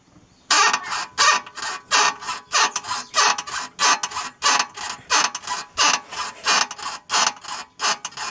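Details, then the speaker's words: VW Fusca (Beetle) front suspension rocked with the engine off: a squeaky creak repeats about every two-thirds of a second. It began after driving through standing water and is hard to locate by hand; the finding is a dry upper ball joint creak. "arulho da suspensão é um rangido não é nada batendo então V ter que descobrir no ouvido mesmo o que que pode ser que tá rangindo aqui"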